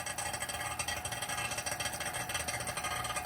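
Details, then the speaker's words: Sub-Zero UC-24BG/S/TH 24" wine cooler sealed-system repair, vacuum pump a few minutes into pull-down, noise changing as vacuum builds; fast, even pulsing hum, roughly a dozen beats a second, running steadily; normal vacuum pump operation. "Run your vacuum for about 2 minutes or 3 minutes, and then after that, after 2 minutes, you see your vacuum is changing its noise too. Right now it's a different noise."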